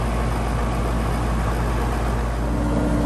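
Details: Home AC outdoor unit after a tightened nut, compressor fired via the disconnect. A deep steady drone from the compressor and fan without clicks, chatter or buzzing; it runs normally.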